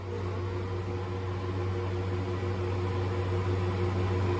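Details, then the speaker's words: Liebert condenser, variable-speed single-phase fan motor on pressure (P66) head pressure control: steady hum and fan whoosh easing down as the other fan relieves head pressure; normal fan slowdown under head pressure control. "i'm going to relieve that pressure with this other fan kicking on watch this here we go i'm going to turn this down this fan will slow down and stop"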